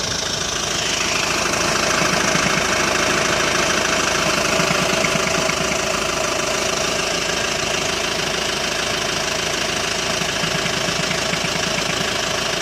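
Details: Hyundai ix35 diesel, cold engine warming up at idle: hard clatter about three knocks a second over the engine note; irregular knock appears only when cold, disappears after warm-up, dealer could not find cause.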